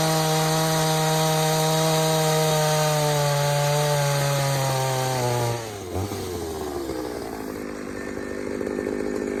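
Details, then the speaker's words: Pioneer 3270 chainsaw on test run with a safety-type chain, fitted with a carburetor likely from a 60cc saw; it holds a thin high scream then sags, running lean and starved for fuel, so a different carb is planned. "all right so everything about that little test run tells me this all's gone lean i am not surprised"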